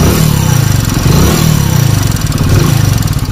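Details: Hero Splendor Plus single-cylinder bike running: a light, quick tick over the exhaust thump. Tappet tick from loose valve clearance, fixed by opening the tappet caps and adjusting.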